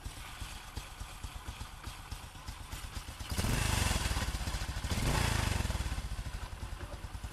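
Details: Honda Future Neo after repair with brand-new OEM clutch, replaced drive shaft and bearings; cold single idles with soft even putter, two clean throttle blips, only faint clutch clack, no earlier clattering: healthy idle.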